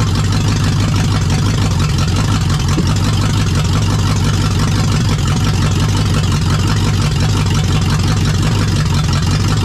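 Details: Lexus UZ-FE V8 swapped into a Jeep KJ, started via push-start kit after the SKIM immobilizer was deleted: deep, loud burble with a fairly steady idle pulse and no knocking or stumbling; sounds healthy.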